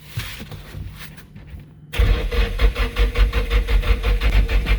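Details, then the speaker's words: Nissan 240SX S14 SR20DET, first crank after rebuild, battery at 10.9 V: deep uneven cranking near three beats a second that never fires; cam angle sensor found a quarter turn out of alignment. "when we pulled out our cam angle sensor it did seem to be off rotated it like a quarter turn to line up the dots pushed it in everything"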